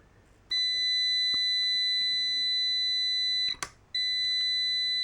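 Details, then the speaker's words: Amprobe multimeter continuity beep at 50–60 ohms: clean high continuous tone cutting out briefly and returning, at its 60-ohm limit (beeps at 60, off at 61). "Now we're still beeping at 60. Let's use this 61 off at 61. So, I'm going to say that 60 ohms is the threshold."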